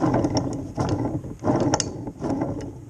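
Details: 1966 Bridgestone 60 Sport engine, sat outdoors about 50 years; bare crank turned by hand during bearing and seal rebuild gives rough, ratchety rumbling in uneven bursts, pointing to worn main bearings.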